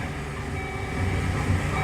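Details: Chevy van after no-start fix (main engine ground blamed): restarts and runs at a steady, even low hum with no stumbling, surging or misses; normal idle.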